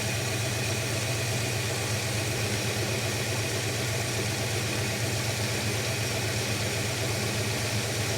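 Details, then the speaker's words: Holden HK engine idling, running better than the day before but still rough; uneven lumpy beat about four pulses a second with dropped strokes, idle misfire; cause not yet found, owner looking for vacuum gauge. "so she's running better than it was yesterday still not smooth though"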